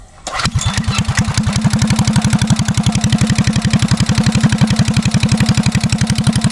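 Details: Restored Hornet mini bike engine started with a little choke. It catches almost immediately, then settles into a brisk, even putt-putt of several beats a second; runs healthy.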